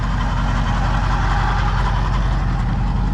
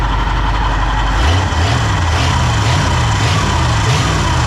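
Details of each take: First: Pontiac V8 with rebuilt Holley carb, timing just set, idling with a steady deep rumble and a rough, gritty whirr from the old alternator's worn bearing. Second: Pontiac petrol V8 just fitted with a rebuilt Holley carb, timing set: starts easily, steady idle, several quick clean throttle blips then back to idle; healthy running, though the alternator has bearing grinding.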